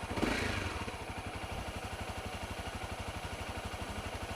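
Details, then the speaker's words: Honda CRF250L with EJK fuel controller, idling during first minutes of riding: light steady tapping knock about four times a second from top end over exhaust beat, goes away within minutes; cam chain tensioner knock. "it doesn't sound too pretty so it worries me it's definitely coming well it seems to from the top end of the engine"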